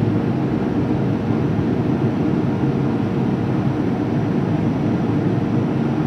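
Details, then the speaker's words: 2005 Boge 40 HP variable-speed compressor, 79131 run/1909 loaded hours, running up toward about 105 psi before the motor winds back down: smooth even low roar without knocks or rattles; normal run-up. "you'll be able to hear the motor whine back down once it gets up to pressure where around 105"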